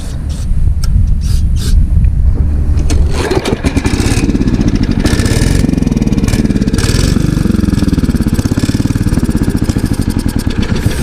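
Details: Ditch Witch trencher with small single engine swapped from another frame, fuel tank still holding some water: restarts and runs rough, beat drags down as hydraulic load comes on; engine bogging under load.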